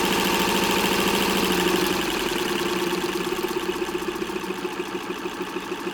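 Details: 1924 Singer model 128 sewing machine in bentwood case after cleaning and checking motor carbon brushes and grease: smooth motor whir, light even stitch beat about three per second slowing as it winds down, no rattle.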